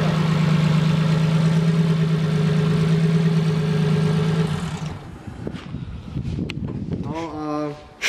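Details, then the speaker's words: BMW M50B25 turbo double-VANOS custom engine, cold, not warmed up, running very rich: steady even low idle with faint light valve clatter from solid tappets, then shut off; sounds like an old engine but works; normal cold idle. "It sounds like an old engine. How do you accelerate the throttle? With a finger? It is not warmed up yet. It is pig rich. It works!"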